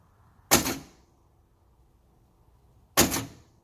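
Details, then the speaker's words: G-body door lock actuator bench-tested on a battery jumper: two crisp, quick clunks a couple of seconds apart, one to lock and one to unlock, clean and even; actuator working properly, and the owner suspects the harness instead. "out working like like it's supposed to that was unlocked it's lock so working like it's supposed to y'all and here's unlock see it's doing like it's supposed to so I know all the motors work now"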